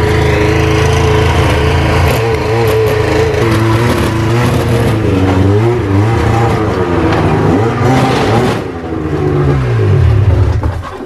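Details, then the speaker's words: Snowmobile with engine note rising and falling with throttle over a rough gritty grind and chunking; broken drive shaft with cog drive grinding, clutch possibly skipping. "doesn't sound good does it something's grinding something's grinding"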